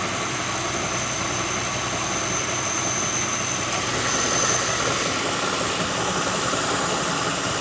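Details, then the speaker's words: 2006 Lincoln Town Car V8 just started, idling with a whirring sound and loose rattle; plugs, coils, pulleys, alternator, belt, cam sensor already replaced; failing harmonic balancer. "You can hear it now as I just started it, but it is a harmonic balancer."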